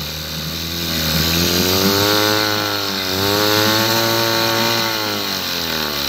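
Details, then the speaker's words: Mercury 7.5 hp two-stroke outboard, first start in about 14 years: buzzy note rising and falling unevenly as revs wander, slightly rough; carburetor still dripping, bowl possibly loose, needs some carb adjustment. "well there you go guys I still have a drip coming out of the carburetor I think the bowl is loose underneath and there's got to be a little bit of carb adjustment that has to be done"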